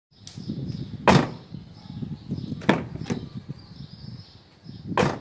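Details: Nissan Qashqai rear door slammed several times, each thud followed by a brief hollow rattle from the loose window regulator mechanism; the fix is unscrewing its three bolts and refitting them with thread-locker.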